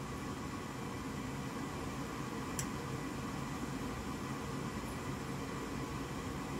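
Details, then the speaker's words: Goodman gas furnace coming on then shutting off, control board flashing three times: steady fan whoosh and hum with no burner ignition; air pressure switch faulty or clogged, replaced with B13701-42 switch. "so the three flashes that's telling me that this air pressure switch is either faulty or clogged"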